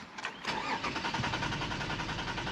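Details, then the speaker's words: 2008 Toyota Avalon, originally an overheating call, security light blinking, ECM not communicating with the ABS module connected: starter cranks at a steady, even chug but the engine never catches. Master and sub keys are unregistered and permit start is not good, so the immobilizer is not recognizing the key. "I think we for sure need to get a key made for this car it's ignition switch is on permit start not good so if you pay attention right here master key and sub key both are unregistered"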